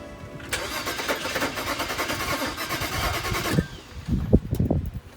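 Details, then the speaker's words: BMW 335i E90 N55 after replacing spark plugs and coils and reconnecting the battery: starter churns in fast, even strokes about three seconds with a few uneven puffs but never catches; cranks, no start. "you can hear how she sounds she's trying to now she's cranking she's trying to pick up"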